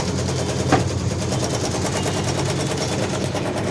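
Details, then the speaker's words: LG washing machine after repair, water drained and spin restarted: steady motor hum with fast even pulsing, no knocking or scraping; normal wash run. "ठीक है, ये तो चालू हो गया था, पूरा चालू हो गया। ऐसे चलता है, ऐसे"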